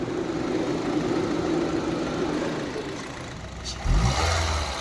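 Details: Honda car at about 112,000 km that knocked and vibrated like a diesel on starting and with AC on; after the defective system was completely replaced: even, steady low idle with no knocking or ticking.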